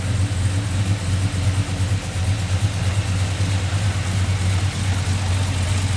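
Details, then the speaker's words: Old Chevrolet Silverado with newly installed crate engine, first run before tuning adjustments: steady deep idle with a little chop, slight rhythmic lope, no knocks or ticks, no leaks; runs healthy. "I watched some videos it's doing good I mean he's still got to adjust everything but it's got a little bit of chop to it"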